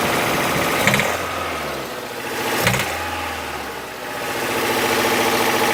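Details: Toyota 4A-FE engine revving up and dropping back twice, rapid loosely regular knock that sharpens as revs climb; source of knock under revs unknown.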